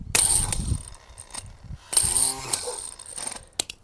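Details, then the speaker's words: New replacement starter for a Craftsman riding mower, bench-tested: short whirring bursts with a ratcheting click as the drive gear throws up to engage and drops back. Normal engagement and retraction. "now I'll show you the difference with this one so you can see how it goes up to engage and then comes back"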